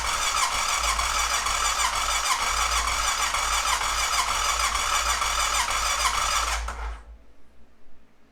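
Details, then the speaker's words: 2005 Honda TRX650 Rincon, 650cc single-cylinder carbureted four-stroke, restart on half choke after it ran about 30 seconds and died: steady starter chatter, about three turns a second for nearly seven seconds, with no firing. Fuel starvation. "I'm not going to keep uh just trying to crank and crank and crank I'm going to shut it all down and let it sit for a few minutes come back try to restart it and see what that does"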